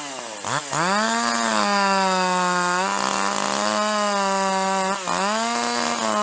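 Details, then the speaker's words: Two-stroke chainsaw lifted out of the cut at full throttle under light load: high, steady revs with a slightly uneven burble. This is the normal four-stroking of a properly rich-tuned saw. "But if you lift it out of the cut under less load and full throttle, you want to hear that four stroking every time."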